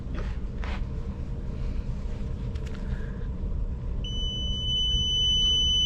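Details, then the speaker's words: Commercial fan coil unit not heating or cooling, fan not running: against a low background hum, a meter gives a steady two-second continuity beep across the fuse, showing it is good; all three fuses good. "continuity if you hear the beep across we have continuity and this fuse is good"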